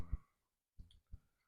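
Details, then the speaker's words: Commodore 1541 floppy drive: quiet room, a few soft low thuds at uneven spacing as the head steps after banging the heads; drive formatting normally. "It banged the heads and it seems to be formatting. At least it sounds like this."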